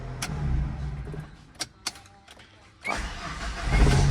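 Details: Tata CNG car that would not accelerate, fixed by new spark plugs. Shut off and restarted: a short crank, then it catches at once and settles to a smooth, even idle. A clean, normal start.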